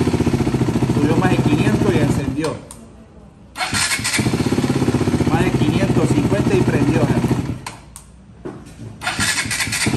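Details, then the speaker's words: KTM Duke 200 previously cranking without starting: fast steady starter beat around three and a half per second, engine passes about 600 rpm, catches cleanly and settles to an even normal idle; healthy starting. "casi 600 y prendió y se mantiene normal en mínimo, casi 600 y prendió."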